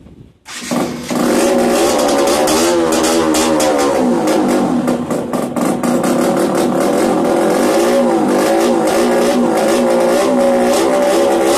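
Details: Yamaha DTR 125 two-stroke, first start after fitting unrestricted Gilera SC CDI, Big One exhaust, 240 main jet, powervalve fully open: crisp ringing buzz climbing and falling cleanly with each blip, no coughing or four-stroking; ignition firing properly.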